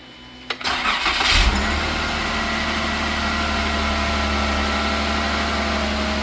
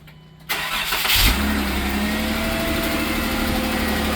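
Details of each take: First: Jeep 3.6 V6 on first crank after all 12 driver-side rocker arms were replaced to cure ticking: catches after a brief crank into a smooth, steady idle with no ticking, knocking or rattling; normal idle. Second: Jeep 3.6 V6: engine catches and settles into idle with fast, light ticking from the top end; failed roller rocker arms, roller loose and riding the cam; fixed by replacing rockers on the driver-side head.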